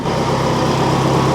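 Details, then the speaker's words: Ferrari-engined Alfa Romeo 105 idling after a test drive: steady idle with an even rush of air as the radiator cooling fans kick in; temperature holding at 83 at idle, though a coolant leak is then found. "Okay, fans just kicked in."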